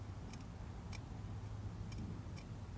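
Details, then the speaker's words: 2014 BMW S1000RR front wheel being turned. Faint, sharp, irregular ticks come from sand or grit caught between the ABS speed sensor and tone ring; the sensor was later found dirty with particles. "there is either sand or some kind of grit in between the the ring and the sensor itself if you listen real close"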